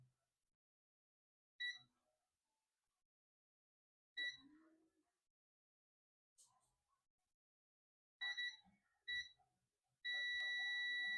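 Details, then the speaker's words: Dell Latitude E5250 logic board (no power, not charging) after removing a shorted MOSFET; multimeter continuity test on a capacitor gives several short beeps then a steady tone, reading near zero ohms to ground: shorted capacitor. "So this capacitor is shorted. This capacitor is shorted. This capacitor is shorted."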